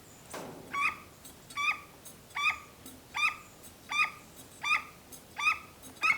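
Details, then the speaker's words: Husqvarna Zenoah/RedMax gas leaf blower, used sporadically and running poorly: primer bulb pumped giving steady squeaky airy puffs about every 0.8 seconds with no wet fuel sound; not drawing fuel, fuel filter plugged solid. "Yeah, it's not picking up fuel. It's not picking up fuel from the fuel line."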